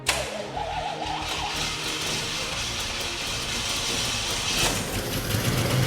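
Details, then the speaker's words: 1988 Monte Carlo with freshly installed 4.7 L 265 cubic inch V8, first start: catches and runs but beat turns ragged, surging and sagging with music behind; likely not getting fuel from the tank. "It's probably struggling to get some gas from the gas tank, but that's a really good sign, right?"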